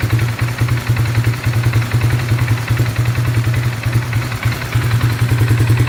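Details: 2018 570 misfiring with no code: low idle thump with an uneven beat that stumbles and drops pulses every so often; the engine also died on its own without being touched.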